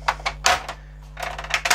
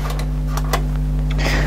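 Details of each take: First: 1998 Kenwood stereo found at the roadside, first power-on after repair: irregular clattering and grinding bursts from the CD changer mechanism over a steady mains hum; the changer belt is likely busted or slack. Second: 1998 Kenwood stereo rescued from the roadside, cassette deck B playing: steady low motor hum, faint tape hiss and light clicks, even and unwavering; deck B plays normally, while deck A's motor runs but it doesn't play.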